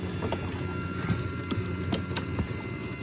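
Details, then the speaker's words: ISA sound card (FM synthesis) in a 386, output recorded at −47 with 30 dB gain: constant low rumbling hiss with faint clicks. It persists, slightly lower, with the card's power disconnected. Noise leaking from the card output suspected, not confirmed. "There's a lot of noise coming out. So, it's at minus 47 right now with the gain set to 30 dB."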